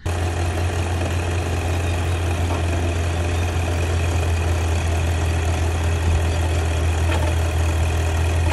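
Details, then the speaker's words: Nissan Patrol Y62 idling, noise under bonnet that began as a squeal and grew progressively worse while driving; steady deep drone with rough gritty rasp; owner suspects a failed bearing, unconfirmed. "started off as a bit of a squeal then progressively got very bad say like a bearing and let go somewhere"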